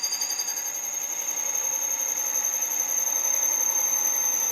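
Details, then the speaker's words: Valve seat cutter cutting a very hard exhaust valve seat in a Cadillac 429 cylinder head during a custom valve job; piercing steady high-pitched squeal, not chatter, cutter slowed down to ease it. "it's not chattering it's super hard I know it's defening slow her down now and we'll get her get it nice and easier it's a hard hard hard seat for sure"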